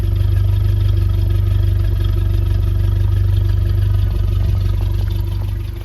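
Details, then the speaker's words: Land Rover Series 3 after a drive: smooth, even low rumble with steady firing and no knocks or ticks; a healthy, normal idle. "all running ship shape no any No nasty knocks or anything it's just very very normal"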